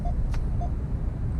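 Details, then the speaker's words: 2019 Nissan Altima on the highway at about 100 km/h with ProPILOT Assist engaged and hands off the wheel: two short mid-pitched warning beeps over steady road rumble; hands-off-wheel alert. "So again, hands off the wheel. Here comes the beep."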